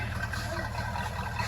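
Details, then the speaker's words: 1964.5 Ford Mustang convertible after carburetor rebuild (leaking accelerator pump fixed): smooth, even low idle with steady beat, no stumble, miss or hunting; no longer smoking or smelling rich; normal idle. "sounds beautiful not smoking like how it was before it doesn't smell super rich"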